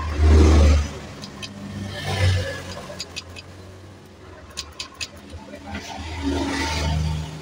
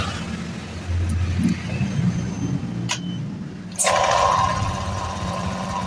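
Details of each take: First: Honda Vario 125 KZR bulb model, idles but dies when throttled: several kick-start attempts, engine catches briefly then fades and dies; hard starting blamed on faulty ECU. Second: Honda Vario 125 KZR that died when throttled: brief cranking catches, then a clean rise in revs that holds without stumbling; weak part identified, now starts and revs normally.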